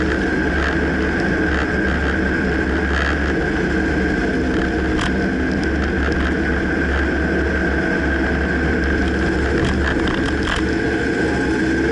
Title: Dodge Ram 2009 Clunking noise can't pinpoint